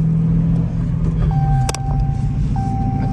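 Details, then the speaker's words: Rebuilt Dodge Challenger on first test drive: sharp random metallic clacks from underneath over road rumble; cause found to be a missing sway bar bushing; sway bar bushing clunk. "something clacking and clanking. It might actually be the sway bar. You guys hear that? Making a lot of noise."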